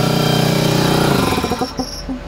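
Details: Compressor powered by an AIMS 12V 4000W pure sine inverter charger in a mobile setup, baseline 22.3 A with lights on: the motor hums up to speed cleanly with no bogging; normal start, peak draw only 70 A.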